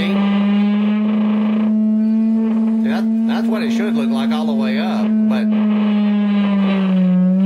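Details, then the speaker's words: Fender Blues Deluxe Reissue amp brought in for intermittent buzz, 200 Hz test tone at about 2 W into an 8 ohm load: output harsh and buzzy with gritty overtones instead of clean, problem suspected in the output relays. "but Prett pretty bad and the problem seems to be in these relays right here"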